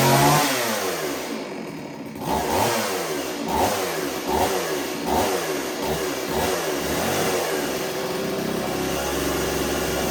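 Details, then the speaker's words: STIHL 024 AV Wood Boss chainsaw that would not start because it was flooded, now running while checking carburetor tune (factory high and low one turn): quick even revs, picks up cleanly and settles back without stumbling. "all right we're gonna check the tune on the saw it sounds halfway decent"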